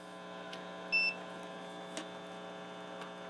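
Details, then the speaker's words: Hallicrafters S-120 AC/DC shortwave receiver, connected directly to a 10K resistor, about 3.1 mA leakage and 30 V AC across it: steady low mains hum with one brief chirp returns, caused by chassis leakage. "So we're going to connect directly to the resistor, and we should hear the hum come back."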